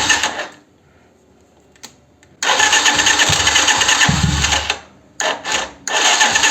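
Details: Starter cranking on a Yamaha 125Z motorcycle: harsh bursts with rough cracking jolts, slow to start and sometimes not starting; Bendix suspected at first, starter and cover to be removed.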